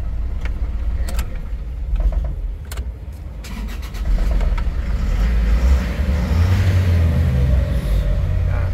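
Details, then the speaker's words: Isuzu Travis 4JA1 diesel with P0336 code and hard starting, after repair: a few cranking clicks, then it catches promptly and settles into a steady, even idle; starts quickly with the check engine light now off. "aandar naman siya kaya lang hard starting talaga pero ngayon hindi na hindi na po"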